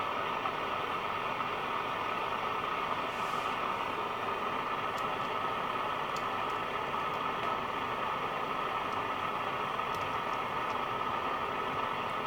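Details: National Panasonic RQ-434DS boombox under repair: steady hiss with only a faint trace of station, tuning makes no difference; weak radio reception, suspected faulty mixer transistor.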